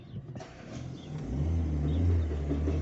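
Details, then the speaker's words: Fiat Linea creeping in reverse: a low engine drone with an uneven rumbling growl from inside the gearbox; on disassembly the reverse gear had three or four broken teeth. "Cliente reclamando quando engata ré, dá um barulho ao movimentar."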